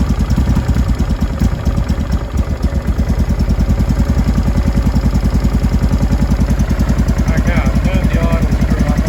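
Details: 2005 Honda Deauville NT650V twin after carburettor refit (vacuum pistons repositioned, pilot screw set), warmed about three minutes, choke off, idle set low: a low, even thumping idle with no popping, banging or exhaust noise. Normal warm idle.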